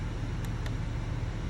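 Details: 2022 Chevrolet/GMC 2500 Duramax diesel idling after a fuel filter change and priming. Smooth, low, even diesel rumble with a steady beat and no knocks or misses: a healthy idle.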